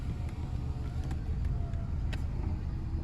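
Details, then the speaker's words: Old Subaru at 256,000 miles with check engine light and rusted coil pack, idling: lumpy with irregular stumble and occasional skipped beat; scanner indicates intermittent cylinder 4 misfire, plus codes for blown ignition fuses. "It's pretty rough shape. She's an old girl. We got the cruise control light flashing at us."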